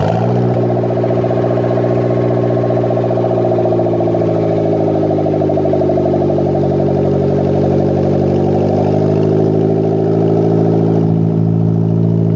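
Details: Custom turbo 1ZZ in a Toyota MR2 Roadster/Spyder, first start after the build, PCV and breathers venting to atmosphere, turbo oil feed left loose: a steady, even idle with a smooth low hum and no knocks or ticks; runs clean and healthy.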